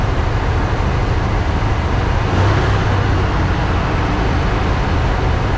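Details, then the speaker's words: 1979 Ford F100, 300 straight six with Holley 390 four-barrel carb and Hedman headers, parked since 1992. Cold start the day after a 15-minute header burn-off run. Steady, even rumble at raised idle because choked, no knocks or misses; running nicely while warming up. "This seems to be running pretty nice right now. Idle's high because it's choked. I'm gonna let it warm up."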